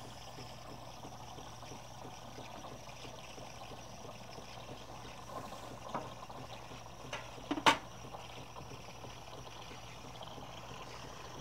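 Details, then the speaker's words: Saeco Pure superautomatic espresso machine with a thermal block: the panarello steam wand draws air in at its top, giving a soft even hiss with faint gurgle while frothing milk. Normal milk frothing. "on these paneros it sucks in air at the top up here so if you were to bury this in the milk you wouldn't get any foam because there wouldn't be any way for the air to be incorporated in"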